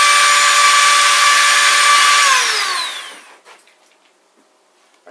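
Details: Modified kids' Power Wheels converted to 24V with an ESC, on a bench test after motors were installed and the gearboxes cleaned, greased and reassembled: steady high motor whine at full speed, no grinding or clicks, clean spin-down; normal gearbox run.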